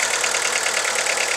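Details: VW Lupo 1.4 16V idling rough with the engine rocking and the check engine light flashing; uneven stumbling beat from one cylinder misfiring with no spark on that lead, so the coil pack or its wiring is suspected.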